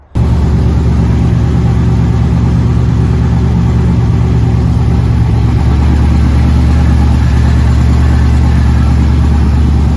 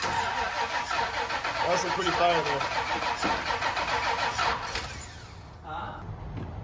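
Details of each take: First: K30 Blazer V8 with new Holley Mid-Rise Ram intake, after reversing the backwards-installed coil harness, air filter not yet fitted: steady, even low idle with no knocks, misses or surges; engine up and running again. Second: K30 Blazer after Holley Mid-Rise Ram intake install, starting fluid sprayed into the manifold: steady starter cranking that never catches; no-start from crossed coil pack wiring.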